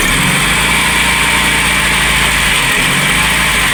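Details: VW Polo Classic (MP9) whose idle had fluctuated at 1500–2000 rpm, cold start after swapping the coolant temperature sensor, with carb cleaner being sprayed: it holds a steady, even cold idle with no hunting under a loud spray hiss. Normal cold idle.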